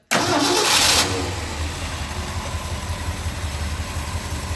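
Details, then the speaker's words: Cold start of a 1969 Ford F100 Ranger with a 4-speed, choke pulled out and gas pressed. It catches instantly off the starter, flares high, then drops to a steady, even choked fast idle. Healthy cold start. "and you can hear how nice that starts up"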